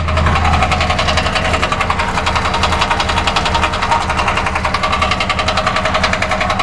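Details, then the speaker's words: 2006 Ford Crown Victoria Police Interceptor V8 at idle, microphone on top of the radiator: uneven idle with steady fast ticking rattle over a lumpy low rumble, engine shivering; cause suspected, not confirmed. "yeah it's running but as you can see the engine is shivering"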